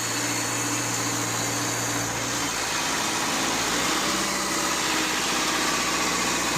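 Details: Car idling after new battery fitted to cure no-crank fault, alternator charging about 14.3 V; even, steady idle hum with fan hiss over it, no misses, knocks or stumbles, normal idle.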